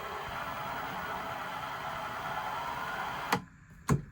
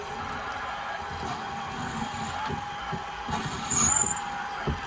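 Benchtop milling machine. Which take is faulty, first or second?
first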